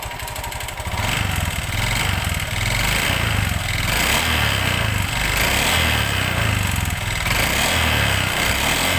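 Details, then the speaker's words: Honda Vario 125 run low on oil (late oil changes); very harsh, clattery running with an uneven rattle over the engine beat, worn and damaged piston. "Oke kita akan menganalisa Honda Vario ini kita dengarkan tadi Ya seperti yang kita dengarkan di awal Tadi suaranya Kasar banget"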